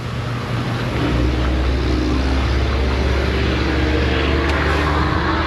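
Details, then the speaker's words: BMW on a small battery charger: steady, quick cranking drone with no distinct compression pulses, engine spinning too freely; low compression suspected, not confirmed. "I think this BMW from last week should be charged. I pushed it up here a few hours ago. Uh, someone was using the big charger, so I got my little Ever Start charger on there. It sounds like it has no compression."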